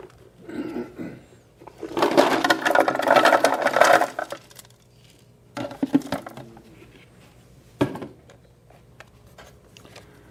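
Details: Emery Thompson CB-350 6-quart batch freezer making Payday ice cream: irregular bursts of heavy clunks and rattles, a few per second, while mix freezes; normal, clunking stops when batch is done.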